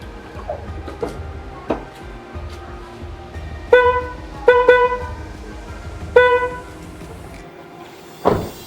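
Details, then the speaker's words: Car's old Hella horn before replacement, damaged with one side dead: short, thin single-note honks with only one trumpet sounding, a weak horn. "Oh iya, klakson saya yang sebelumnya itu udah mati ya, bunyinya kayak gini guys."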